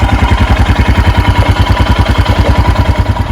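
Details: 2021 EFI Royal Enfield Himalayan single warming up from cold with the choke/idle lever: steady, even thump about ten beats a second at a raised idle around 1200 rpm; normal fast idle.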